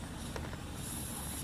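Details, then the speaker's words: Lokithor JA301 3-in-1 inflator, running during a repair attempt after plastic welding: a constant airy hiss under a low running hum. Compressed air escaping through a big leak at the back of the housing, too big to plug with a finger. "and there's a big leak back here hear that I can't even plug it with my finger"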